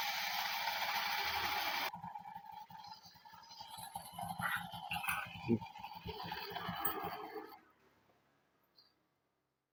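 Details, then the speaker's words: Honda Beat carburettor scooter, engine running with a rough, uneven catching rattle about three times a second: the starter pinion is jammed and not returning; fixed by repairing the stuck pinion part. "tadi yang suaranya agak kasasar tadi ya seperti menyangkut jadi suara mesin tadi suara mesin begitu jalan ya begitu nyala itu seperti ada yang menyangkut"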